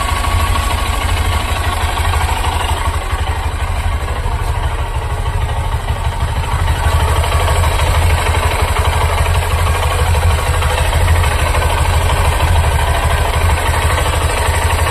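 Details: New Honda SP125 motorcycle, about one month old, idling with a heavy low thump, a faint irregular clatter and vibration; cause suspected, not confirmed.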